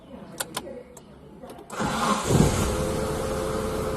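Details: Car started after refitting the drive belt and alternator, to check whether the earlier acceleration noise is gone: a few clicks, then it catches with a brief flare and settles into a steady, even idle with no rattle or squeal. The noise is gone.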